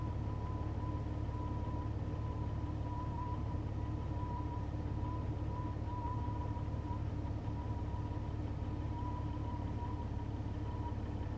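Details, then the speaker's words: Running Jeep with radio off: faint high wavering tone and lower hum warbling unevenly; weird noise, source unknown, not the radio. "My Jeep's making a weird noise. Sounds like it's trying to connect, like, contact alien life forms or something."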